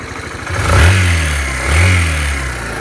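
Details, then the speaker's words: Suzuki Van Van single-cylinder at 12,300 km: quiet at idle, but two throttle blips bring a rough clattery note rising with revs; noise began about 4,000 km ago, persists after switching to Motorex 10W-40 oil, cause unclear. "now while it's idle you don't see any weird noises right but once you started to ready it up you see this sound"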